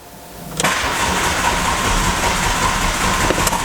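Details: Car being prepared for a timing belt and water pump job, warning light flashing fast. The starter kicks in with an uneven churning roar that keeps going without catching; the engine cranks but won't start, risking draining the booster pack.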